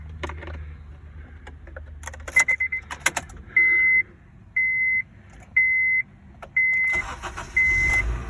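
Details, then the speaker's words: 2009 Honda Civic after an accident, towed and sitting for 2 days: a chime beeps about once a second, then the engine catches and settles into an even run. Normal engine start. "Of course it starts, it's a Honda."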